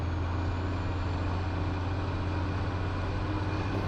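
Steady, even low diesel rumble with no sputter or misfire in the rhythm; the engine sounds healthy and smooth.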